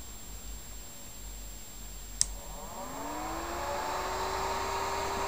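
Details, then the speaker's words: Xbox 360 Slim fan modded with a 5V/12V toggle: switch click, then the fan spins up to 12V into a loud, steady "rocket" whoosh whose rising tone settles high, full speed, used when gaming gets it hot. "sounds like a rocket yeah that's 12 you can have it on all the time whatever and then just go it takes it back down"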